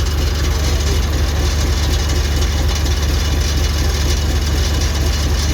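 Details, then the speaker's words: Isuzu 6HL1 diesel (205 hp) started before its cutting work is finished, with no muffler fitted: a steady, even low thrum with no knocks or misses. It idles very soft and smooth, a normal idle. "นิ่มมากเลยขนาดไม่มีท่อพักแล้ว"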